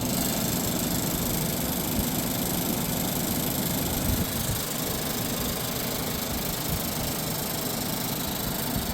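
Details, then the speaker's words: 1978 Gibson Air Sweep 5900 BTU window air conditioner, Tecumseh AE reciprocating compressor, running on low cool: steady rushing fan noise with uneven scuffing undertone as the condenser fan blade rubs against its shroud; fan needs balancing and cleaning. "it's a first for me too the condenser fan man is rubbing against the Shroud"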